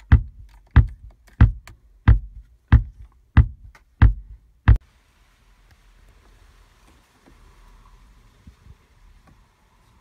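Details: VW Tiguan RNS510 radio/nav stuck in a startup loop with a flashing screen: eight deep, evenly spaced speaker thumps at about 1.5 per second, then silence; the fix is resoldering the PIC16 chip.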